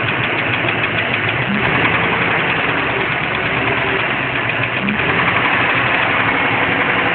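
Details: Light, fast top-end tick at about four per second over a steady engine idle. The cause is unconfirmed: the owner suspects a lifter, bent pushrod, header gasket or pistons.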